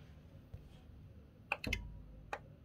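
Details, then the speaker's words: PC with glass side off, power button pressed, heard close to the bottom: faint irregular metallic clicks, RGB lights flicking, motherboard light off, no fans spinning. It tries to start but never spins up. "It's that small clicking noise I'm talking about. As you can see, no fans."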